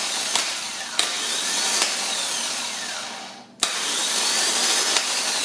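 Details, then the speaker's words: Bench test of a starter from a 1996 Dodge Caravan, energised by jumping the small solenoid post: sharp solenoid click, then a clean, even high whir, repeated several times without drag; gear pops out and spins, starter working normally. "The click is it popped out and it spun. Spun the gear, engaged it, and everything seems to be working correctly."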